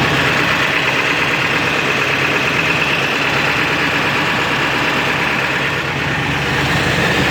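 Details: 7.3 diesel with rough idle and no power, in street mode after high idle: uneven, lumpy idle with an irregular knock through a harsh rattly drone, likened to a rod knock; EGTs good, cause unknown.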